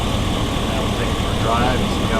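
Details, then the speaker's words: 2001 GMC Yukon XL 5.3 V8 after replacing both knock sensors and harness plus valley gaskets and a hose repair, for a knock sensor check engine light: steady, even idle with smooth low rumble, no knock or hiss; much better. "okay so back together let's see what it sounds like all right much better"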